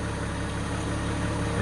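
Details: 2000 VW Eurovan VR6 after replacing all fuel injectors (failed injector, code for No. 6 injector), spark plugs and wires: smooth, even low hum at idle with no stumble or miss; normal idle.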